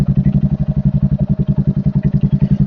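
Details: Royal Enfield Hunter 350 that would not self-start, fixed by installing a battery (charging 13-14.3 V running): steady single-cylinder idle thump at about nine pulses a second with no knocks or misses.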